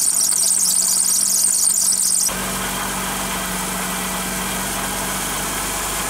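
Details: Running car engine with a belt wet from driving through water: piercing, steady high-pitched squeal of the slipping belt, heard before treating it with cornstarch.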